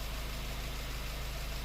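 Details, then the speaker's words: Honda Fit petrol engine at idle with a low pulsing rumble and slight unevenness; idle rpm surges or drops at stoplights. A pressure transducer test shows two fuel injectors losing pressure. "Dois bicos perdendo pressão."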